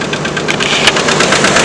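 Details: Red truck idling in neutral (won't go into park); rough idle with sharp, irregular ticking knock over the engine note — suspected internal engine wear, cause unclear; owner thinks the engine needs replacing.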